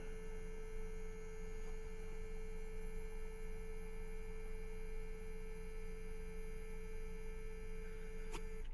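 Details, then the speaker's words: 2014 Chevrolet Sonic 1.4 with P0171 lean and P0106 MAP codes: constant steady single-pitch hum from front of car, first mistaken for fuel pump; brake booster electric vacuum pump running. "man that is annoying whatever is running I thought it was a fuel pump but it's coming from the front of the"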